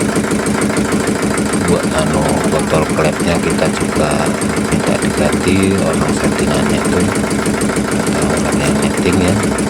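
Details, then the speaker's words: Yulin 2105 diesel rice-mill engine after reseating and setting both valves, whose leak caused hard starting and compression loss: even, steady clatter with no hiss or puffing between beats; smooth, normal idle. "Oke, sudah jap. Mesin sudah hidup normal dan selamat. Mudah-mudahan tidak ada kendala lagi."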